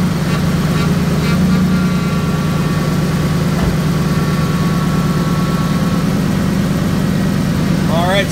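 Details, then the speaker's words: 2005 Ford F-150 5.4 L V8 at idle after power steering pump replacement and air purging: even low rumble with no whine or groan, night-and-day quieter; pump healthy. "so I think we have as much air out of it as we're gonna have um night and day difference here as far as the sound goes"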